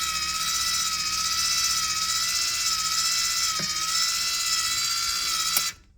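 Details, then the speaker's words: Ecowater water softener being fixed for error code 1. The DC valve motor spins round to find its home position, giving a steady high whirr for about five seconds, then a click as it stops; normal. "it's just trying to find its home position by turning round and round. With this DC motor, it'll happen quite quick."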